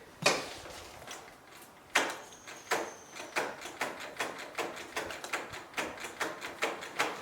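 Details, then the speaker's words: Kubota riding lawnmower that quit randomly and then sat for years, battery dead and being helped: sharp clicks about every half second with no cranking. The solenoid is heard but the starter doesn't turn, and the starter is suspected. "Like I hear the solenoid and I hear something. Wonder if I tap it with a little hammer, the starter will come back."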